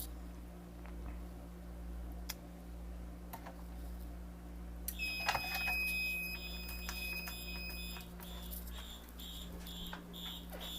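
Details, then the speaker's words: Wheelock MT4 fire alarm horn set to march time, tested in a hallway with a Wheelock RSS and Simplex T-bar: after quiet, a harsh horn pulses on and off about twice a second, then is silenced. "Okay, and yeah, I have the MT set to I have it set to March time horn, so you're gonna hear that."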